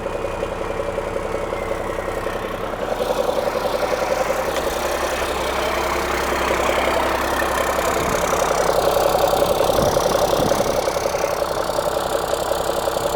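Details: Cummins-engined Land Rover 130 diesel idling just after start, following repair of coolant leaks into the oil galleries; oil warming up. Steady even clatter, roughly four beats a second, no knocking or stumbling; good oil pressure, sounds pretty healthy.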